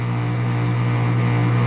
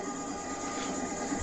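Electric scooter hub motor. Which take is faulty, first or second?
first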